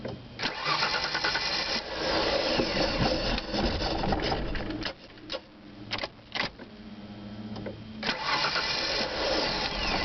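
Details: Uneven churning crank lasting several seconds with uneven bursts before the engine catches. Hard start with prolonged cranking, cause unclear.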